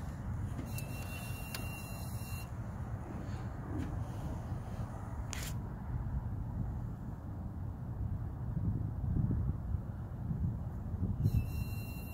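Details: 2017 Dodge Challenger R/T: high electronic beeping in short bursts, twice, over a low steady idle rumble, seemingly from under the hood; happens randomly, even while driving, no check engine light; owner suspects a tracker, cause unknown.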